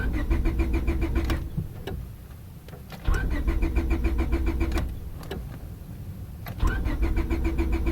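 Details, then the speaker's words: 2000 Honda Civic 1.6L on a rainy day: steady starter cranking in long bursts with short pauses, never catching even with gas applied; it cranks but won't start when wet. "another wonderful rainy day out bastard doesn't want to start giving it gas doesn't really help"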